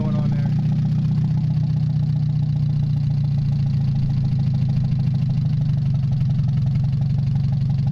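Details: Mazda 626 first start after cylinder head reassembly, oil overfilled, warming up with rest of exhaust not hooked up: deep heavy idle with an unsteady, lumpy pulse; rough fluctuating idle, owner suspects O2 sensor, bad EGR or old gas.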